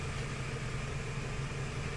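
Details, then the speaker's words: 1996-2004 Toyota Tacoma 2.7L warming up during misfire diagnosis: idle about 800 rpm with a steady, low, even hum and no stumble, shaking or vibration, so the injector is judged to be working; normal idle. "the RPM is about 800 so there's no vibrating there's no shaking so that means the injector is working"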